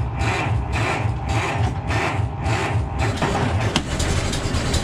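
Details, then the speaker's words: Ford Model T cold start on the electric starter, choke applied: slow, uneven cranking under two beats a second with scattered firing that never quite catches; owner suspects flooding, unsure of the right amount of gas. "see the starter it's always even with the charged battery it cranks pretty slow so you want to get as close as you can by hand first nothing yet"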